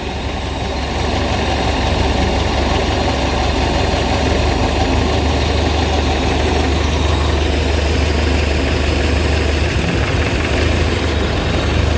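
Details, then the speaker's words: Zebra 1.3 carburettor car after the idle screw was turned down (float needle had been too tight; spark and compression seem normal). Smooth, steady low idle with no hunting: normal idle. "Dari suaranya sepuyer tadi pada sudah kita kecilkan, sudah terdapat enteng."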